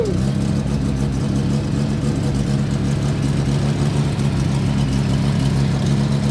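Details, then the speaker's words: Mazda FB rotary car after a tune change, troubleshooting no-start; fires and settles into a lumpy, uneven low idle with a wavering drone; rough first start, cause suspected, not confirmed. "like i said not every startup is perfect it takes a little bit"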